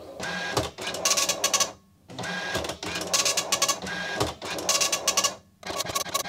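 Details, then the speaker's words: Commodore MPS 1500C colour dot matrix printer driven from an Amiga, final test after cleaning and restoration, ground cable not yet reconnected: rapid buzzing needle-strike bursts in regular passes about every 1.5 seconds with short pauses between lines; works just fine. "the printer works just fine and i'm happy with that"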